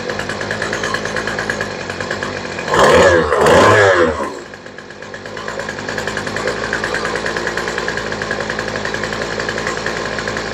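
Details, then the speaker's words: Two-stroke weed eater with a new replacement carburetor, low screw being adjusted: steady buzzy idle, then a rev burst that rises unevenly and stumbles back; seems to need more gas on the low side, likely lean. "yeah she's still revving a little bit slow I think we might need a little bit more gas on the low side for this one"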